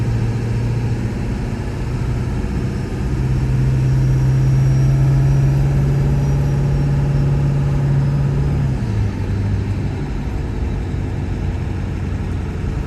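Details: 1999 Ford F-350 Super Duty 4x4 with the 7.3 L Power Stroke diesel, 46,000 miles and an automatic, going uphill under load: a deep steady drone that climbs and drops cleanly at each shift, with crisp changes. Normal acceleration and shifting.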